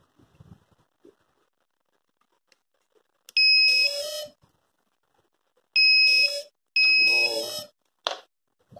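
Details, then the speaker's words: Homemade quadcopter with KK 2.1.5 flight controller at power-up: three long high-pitched beep bursts then a short chirp; low battery warning. "battery is not okay."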